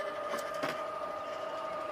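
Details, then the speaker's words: Swardman Electra 55 electric reel mower mowing uphill; only a faint steady electric whir with light reel hum, no rubbing or scraping; running normally and very quietly, quieter than a manual reel mower. "the sortment is the quietest machine I've I mean it's quieter than a manual real mower it is so silent"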